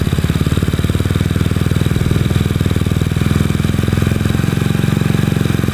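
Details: Honda Beat scooter with a PE24 CPO carburetor just fitted and the air screw set for the highest stable idle: the small single putters at a steady, even idle with no hunting; it is running properly.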